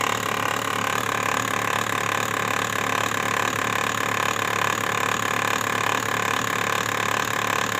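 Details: Brother printer during a print cycle: a steady fast mechanical chatter at about three beats a second, repeating evenly; abnormal printer drive or roller noise.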